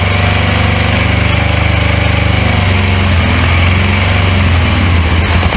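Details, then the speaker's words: 1983 Suzuki GS450A automatic motorcycle, first start in years after fixing wrong coils, key switch and bad wiring; carbs previously rebuilt by prior owner. Low, lumpy, surging firing that stumbles, sounding like it's only staying lit on choke; rough running, likely fuel-starved carbs. "It's trying to run on its own."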